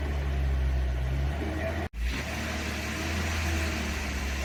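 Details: 1990 Toyota 4Runner 22RE with new head and flat-tappet cam during the 30-minute cam break-in, outdoors: steady, even low drone at raised rpm with no knocks or ticks. Owner suspects it runs rich, maybe a stuck injector. Normal running at raised rpm.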